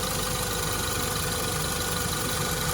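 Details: 2016 Land Rover Discovery 2.0 after water pump replacement, idling while checked for leaks: even steady idle with smooth hum, no squeal, rattle or knock; engine running cleanly.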